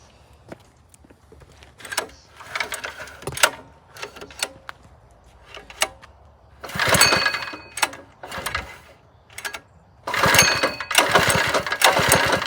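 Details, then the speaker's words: Lowrider go-kart small engine on first start after mounting, held by only three loose bolts, no throttle cable or brakes; several pull attempts, then catches in brief bursts and runs rough and uneven. "once I fill it up with fuel I'm gonna fire it up and take it for a ride"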